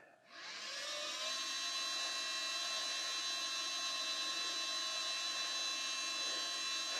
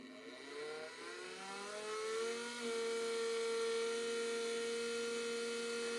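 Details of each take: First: 1987 Mercedes 560SL (R107) rebuilt fuel pump, hotwired to a power supply: high steady electric whine rising within half a second and holding even; fuel delivered, pump running healthy. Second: 1987 Mercedes 560SL (R107), unstarted since 2008, fuel pumps bench-powered with line into a bucket: steady high whine, pumps spin but no fuel comes out; owner suspects a plugged filter.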